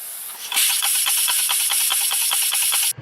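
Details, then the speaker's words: 1947 Ford Coupe flathead V8: rear passenger-side cylinder is found popping through the carburetor, with sharp steam-engine-like chuffs about six a second, then it cuts off. Owner suspects an intake valve not closing fast enough or not sealing; not confirmed. "After some very scientific testing, I figured out which one's popping through the carburetor. And it's this back one on the passenger side. You hear the like a steam engine?"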